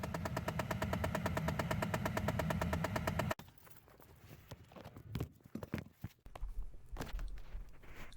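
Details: 2010 Dodge Avenger: fast even run of clicks in the dash, driver side, from the faulty blend door actuator near the steering column; clicks whenever the door opens or the hot/cold knob turns.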